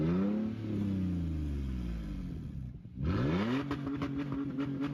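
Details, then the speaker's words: Toyota 4Runner 4th gen (2003-2009), believed to be the 4.0 L 2GR V6: smooth, even revs through two blips with no knocks or rattles; a healthy engine revving normally. "Let me find a V6 one real quick. This one's a V6. You can just hear the differences between the two engines."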